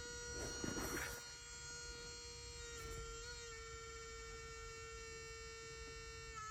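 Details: Honda Odyssey minivan: steady electric buzz keeps droning after unlocking, with a brief rustle at the start; cause suspected, not confirmed; the same van also has a defective starter.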